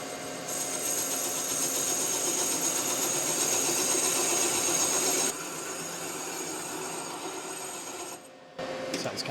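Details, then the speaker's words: Kubota D902 diesel block in the machine shop, boring cutter facing the top of a sleeve: harsh, rasping scrape with steady chatter, rough rather than clean; cutter is dull and was swapped for a sharper one. "kind of nasty yeah that uh I don't think that cutter is as sharp as it could be"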